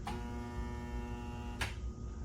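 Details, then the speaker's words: Garbage disposal after its popped red reset button was pressed: a steady electrical buzz with no spinning as the motor tries to run but is stalled by something wedged inside; next step is freeing it with the hex wrench. "Now, you hear the buzzing noise? The buzzing noise means that now the motor's trying to operate, but still something's wedged in there."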